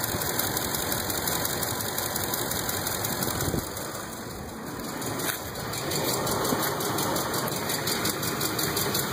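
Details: 2005 Ford F-150 5.4L 3V idling before repair: a light, fast ticking with a faint whine, caused by seized hydraulic lash adjusters (lifters).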